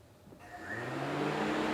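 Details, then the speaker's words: 2009 Honda Civic at idle with AC switch turned on: after a click, rushing airflow builds and holds steady as the cooling fans come on; normal cooling fan operation. "And you can hear the fans on right now. So, that's another thing. Whenever the AC switch is on, those fans should go on."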